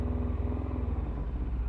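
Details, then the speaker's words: Yamaha FZS600 four-cylinder idle during carb balancing, filters off, carbs 1-2 vacuum high and 3-4 low: covering number 3's air pilot hole makes the beat dip and stumble as it tries to die; normal carburettor pilot circuit response. "I can do this on the air pilot holes if I stick my finger over see these and bother them tries to kill the engine if I do that to number 3 now"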